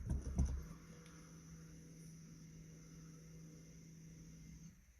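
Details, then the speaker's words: 2016-up Mazda CX-9 electronic parking brake put into pad service mode, with accelerator pressed and the park brake button pushed down three times: a few clunks, then a steady low motor hum for about four seconds that cuts off; rear caliper motors retracting normally. "Did you hear it? Okay. Now they're disengaged."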